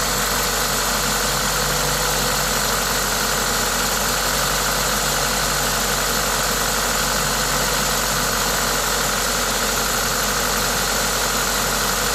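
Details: Toyota 2ZZ-GE four-cylinder at idle with an aftermarket induction kit: even, steady idle with a loud intake hiss from the kit, no knocks or misses; normal, healthy engine noise.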